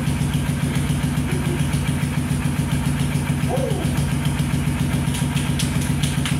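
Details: Steady, even low thumping at about three and a half beats per second with no knocks: a Kawasaki quad, previously a no-start, now idles cleanly.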